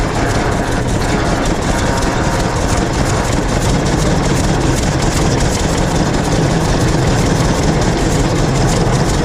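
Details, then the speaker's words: 1926 Hart-Parr 16-30 two-cylinder tractor, first start in over a decade after six months of work, pony-motor started; engine chugs steadily at low speed with even firing while taking a short ride; healthy run. "well there you have it after six months we finally were able to fire it up and take it for a short ride and first time starting this tractor in well over a decade"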